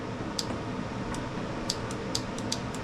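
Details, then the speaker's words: Husqvarna YTH18542 riding mower, 18.5 hp Briggs & Stratton Intek, which died during use, engine off with key cycled on and off: light, sharp clicks from the fuel shutoff solenoid, judged working. "huh that's funny I guess cuz we was having a conversation while I was trying to do that at her house but I could hear it and feel it click so we think the fuel s was good"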